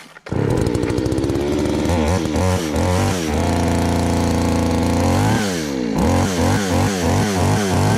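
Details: Chainsaw, after high-speed screw adjustment cured a bog, tested outdoors: fires and settles to a steady idle, then repeated crisp revs with clean throttle pickup. It starts easily and runs strong.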